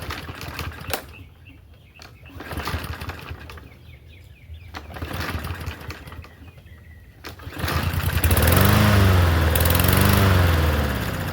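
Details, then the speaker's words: Troy-Bilt TB110 push mower, little fuel in tank, possible rattle; several weak cranking pulls with sputtering catches then a loud uneven run, a poor hard start. "Not a good start."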